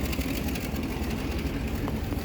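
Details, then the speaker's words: 1966 Mustang straight six with 3-speed automatic, cold start: steady idle with a fast puffing tick on a loud, raspy exhaust note; exhaust leak, running not super great. "Now she's got a bit of an exhaust leak, and she's not running super great. You can hear the exhaust leak, but straight six."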